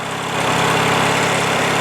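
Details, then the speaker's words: Craftsman LT1000 lawn tractor, Briggs opposed-twin 19.5 HP, after a winter sitting with bad gas and water in the tank; tank drained, fuel filter changed, carb blown out: even steady putter at fast low idle, running normally. "so that's it engines running now runs pretty well this is low idle right now I mean it's fast but it's not like really fast you know"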